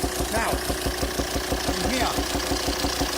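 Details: 2007 Volvo XC90 D5 185 bhp diesel at idle: regular popping about three times a second coming through the intake manifold, stopping when the intake is blocked; cylinder 5 exhaust valve lifter socket sheared, valve stuck closed, backfiring through intake; fix is replacing the cylinder head.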